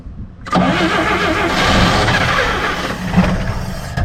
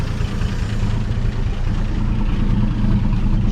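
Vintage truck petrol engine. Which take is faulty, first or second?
first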